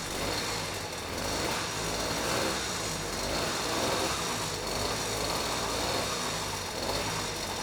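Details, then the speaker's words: Vintage Huffy two-stroke motorized bike of unknown history, started by pedaling on a trainer: a steady, even buzzing note with no misfires or rattles. The engine sounds healthy, though the carb jetting may be slightly off. "it works yeah I wasn't sure that was going to work but it actually started pretty quickly and ran halfway decent so you know the engine sounds healthy"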